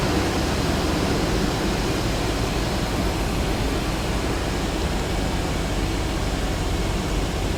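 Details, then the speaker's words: Dodge Durango after mechanical fan clutch replacement, at startup idle: a steady, even rushing fan roar with no knocks or scraping. The new clutch is in full lockup as expected and slows to near-silent after about half a minute. "Now this thing should run in the full lockup position, so the fan's going to roar for a while, but after a couple minutes of running, it should settle down to a lower RPM as the fluid begins to settle into the different areas which it needs to be, and the fan job should be complete."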